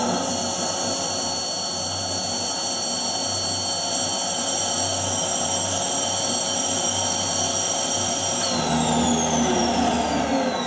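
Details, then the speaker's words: Vacuum cleaner with no suction, giving a steady high strained motor whine with a pitch shift. The filter is believed to need more drying time; cause suspected, not confirmed. "not working enough you can hear that still sounds dodgy so I take in this side to dry again because it needs more drying time"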